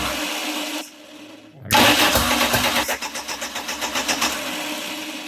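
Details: 1989 Dodge Daytona converted from TBI to turbo, first start attempt with no exhaust fitted: the starter cranks at about four beats a second with uneven compression pulses but never runs. Ignition timing sounds off; distributor adjustment is planned.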